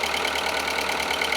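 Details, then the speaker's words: Audi A2 1.4 16V AUA engine after timing belt and burst water pump replacement: steady, even, smooth quiet idle with no knocks, misses or hunting; normal idle. "sounds a lot better than it did before oh my goodness me wonderful wonderful wonderful sounds absolutely perfect"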